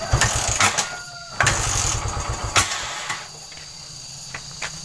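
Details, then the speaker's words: Trail motorcycle that runs normally cold: after about 16–17 minutes it dies when hot, and repeated kicks give a few ragged firings that never catch; hot no-start with ignition loss, diagnosed as a weak pulser coil. "seperti itu dulur jika panas motornya akan mati dan ini benar-benar Real"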